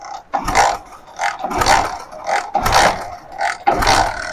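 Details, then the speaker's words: Hero Splendor iSmart bike with no ignition current: repeated kick strokes about once a second, each a mechanical churn, but the engine never catches; input current is present, so the CDI is suspected of not sending current out, no spark. "तो हमारा input उधर से current आ रहा है लग रहा है कि हमारा सीडीआई बाहर करंट नहीं भेज रहा है"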